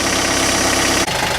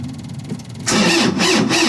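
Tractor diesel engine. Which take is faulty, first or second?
second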